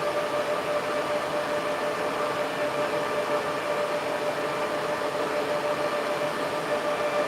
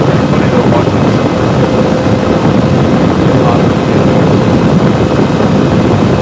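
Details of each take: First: Server fans at full speed, blowing hard enough to move a small tripod. Loud steady rush of air with a constant hum and no rattle, grinding or wavering; normal full-speed fan operation. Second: Server on its stock CPU air cooler with the side panel off, near the end of a load test with temps reaching 80-85: loud steady fan roar, fans maxed out because the cooler can't keep up with the CPU.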